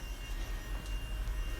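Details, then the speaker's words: Astra electric power steering pump fitted to a drift car, running on rubber mounts sitting on the chassis before its bracket is installed: a thin, steady high whine over a low rumble. Normal but zingy; it should be quieter once the bracket is fitted. "Because it's got these rubber mounts, so once I put the bracket on it should be less zingy. But still, it sounds like an overexcited Tesla."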